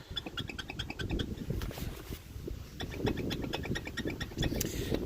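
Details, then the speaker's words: Wheel rocked by hand top and bottom: quick rhythmic clicking and squeaking, wheel flopping around with so much play it moves with one hand; bad worn wheel bearing. "yeah it's just flopping all around on there so that's how you check for a bad wheel bearing"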